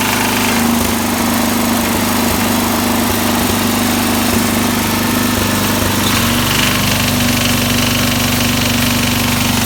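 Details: 1969 SS12 Hydro small engine: loud running with sharp, irregular knocks coming and going, then a steadier note; intermittent knock sensitive to RPM and PTO engagement, owner suspects it may need a rebuild.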